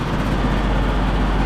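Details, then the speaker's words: Neglected split-system heat pump (with four-way reversing valve), not heating or cooling, at the outdoor condensing unit: heavy, deep steady rumble as the compressor runs, suction line warm not hot, unit shaking hard; cause not yet found. "Sounds like the compressor is running. The suction line is warm. Suction line is warm. It's not hot, but it's warm. So the compressor is actually running in this thing. This thing is shaking like crazy."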